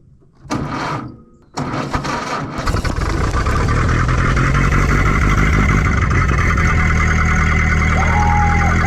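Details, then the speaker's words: 1931 Ford Model A peach flat four-cylinder, sat 30+ years, first start on choke: brief cranking then steady even idle with loud open exhaust and wide-open muffler; runs well. "I love it. That thing ran awesome."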